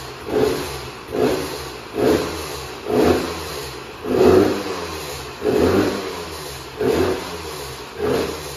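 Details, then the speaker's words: 2004 Husqvarna WR125 two-stroke with a KTM 300 silencer fitted and a non-working power valve: crisp blips about once a second, each rev rising and returning cleanly to idle; engine sounds healthy. "foarte bucuros că am fost motocicletă și că motorul se aude bine"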